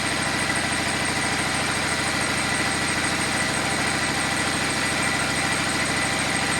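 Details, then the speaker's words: Cummins 6.7 turbo diesel test engine, first run on HythanolPLUS biofuel after flushing the tank, residual diesel likely still in lines and injectors; steady idle with even regular clatter, no misses or knocks: normal idle. "so far so good"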